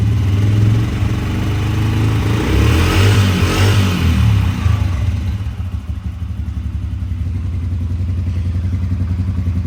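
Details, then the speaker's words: 1998 Honda TRX90 ATV, sat 3+ years, after carb cleaning with new bowl and petcock, no-spark fix and oil change: strong thumping, then a steady, even idle with no misses; slight smoke on revving, believed to be from oil put in the cylinder. "so as you can hear it is running and idling well"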